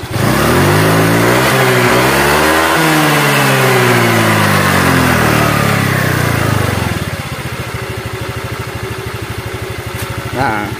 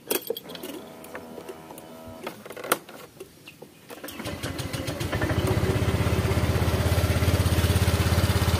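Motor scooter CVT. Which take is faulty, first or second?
second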